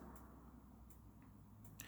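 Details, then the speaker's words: 2016 Sprite Lifestyle 6 caravan fridge set to gas; igniter gives faint sharp ticks about every three quarters of a second until the burner lights, then clicking stops; normal gas igniter clicking. "you will hear a clicking noise and when it ignites the clicking will stop and the fridge will be ignited"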